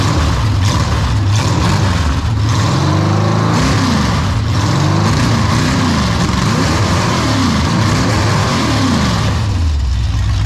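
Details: Ford 302 V8 running smoothly with a steady low rumble and gentle rises and falls in revs, no shaking or knock, after refitting the bellhousing and starter to cure a bellhousing vibration blamed on a cheap flywheel; shaking gone, antifreeze now leaking.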